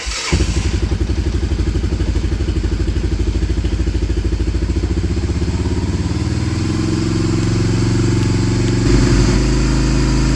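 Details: Honda Fortrax 300 ATV, previously a no-start, running with choke off while the idle adjustment knob is set and it warms up: even single-cylinder putter about three firings a second, steady and smooth, settling slightly; runs clean.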